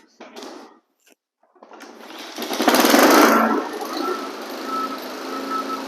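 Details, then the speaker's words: Flood-damaged Honda HRX lawn mower after repeated oil changes (oil still dark, grey): pull start, brief surge, then even steady run with no misses or knocks; runs fine. "Let's fire this thing up. And you're going to hear it sounds good."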